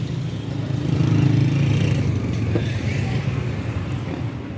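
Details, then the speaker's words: Toyota GLI after a misfire and no-start repair: a smooth, even low idle with a steady beat, no stumbling or misfire, and a stable RPM needle. Normal idle. "RPM की जो needle होगी stable है बिल्कुल okay हुई है"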